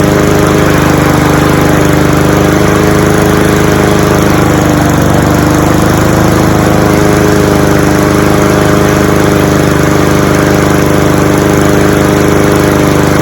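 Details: Cub Cadet SC-700H four-wheel-drive mower, Honda GCV190 engine, cold start after sitting, outdoors in snow, possibly excess oil in cylinder: steady even drone at constant speed, no misses or knocks. Normal running.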